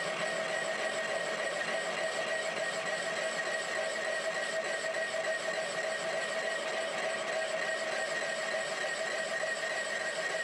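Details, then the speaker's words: Boring galled grooves from the apron bearing of a 1943 Hendey 16x30 lathe on a K&T mill with power feed: steady cutting hiss, two constant ringing tones and light rhythmic chatter as the tool passes through grooves and ridges. "as you can hear the uh boring tool is in one of the grooves that was Gall into that bearing now we're getting a ridge between a couple of the grooves"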